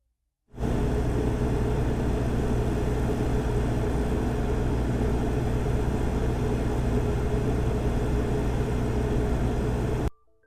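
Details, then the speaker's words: Cummins Quiet Connect 40 kW standby generator with Level 2 sound kit at 100% load: steady even low drone at constant pitch, no knocks or surges; 6 dB quieter than competitor; normal running. "The Cummins Quiet Connect model with the Level 2 sound kit was a full 6 decibels quieter than the competitor at 100% load."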